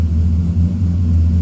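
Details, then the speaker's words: All-wheel-drive Chevy pickup after a hydroboost conversion with power steering fluid refilled, engine idling: low even rumble with no whine or groan from the power steering pump, and steering turns smoothly; pump quiet and normal. "No noise from the power steering pump, that's a good sign. I'll just turn the wheel. Power steering is just buttery smooth. That is beautiful."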